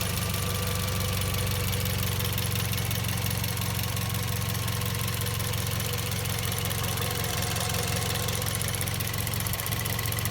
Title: Vios Gen 2 - Loud Chirping sound coming from the engine bay